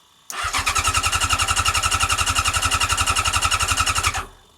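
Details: Yamaha R6 project bike, ignition rigged after replacing the ignition barrel, fuel primer pump running: steady fast starter churn, about three to four beats a second, no firing; cranking without starting, likely fuel not through yet.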